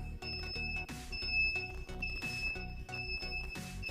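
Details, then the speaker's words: Suzuki Satria FU motorcycle with a homemade Arduino alarm (relay output and buzzer): ignition switched on without pressing the sensor button within about 10–12 seconds, so the engine won't start even on the kick starter. Shrill, repeated pulsing buzzer tone. Anti-theft alarm. "ini tidak ada reaksi apapun kita coba Nyalakan kehm atau tidak nyala dan Set alarm pun berbunyi"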